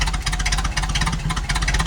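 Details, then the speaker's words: 1932 Ford Model B four-cylinder roadster with dual Stromberg 81 carbs and a Winfield head: low, lumpy idle with an uneven, loping beat; running rich and needs leaning. "It's running rich right now. It needs to be leaned up."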